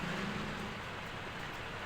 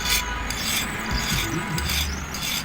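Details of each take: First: Ceiling fan after replacement of both noisy bearings with SKF bearings and capacitor reconnection: steady soft airy whoosh, no clicking, scraping or wobble; runs smoothly and quietly. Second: Orient ceiling fan: dry, gritty, irregular rasp over the running fan from worn, dry bearings; fix is replacing both bearings (SKF).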